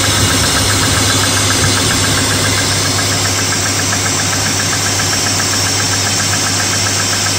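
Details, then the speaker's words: BMW E34 with M50 engine, cold morning start near +2°C: quick light, slightly uneven hydraulic lifter tick that fades as the engine warms; owner thinks thinner winter oil like 0W-20 is needed. "конечно чуть чуть огорчило меня эта ситуация стук гидрокомпенсаторов есть чуть-чуть кстати то чуть-чуть плавно принципе он уже на кстати вот уже прошел звук стука"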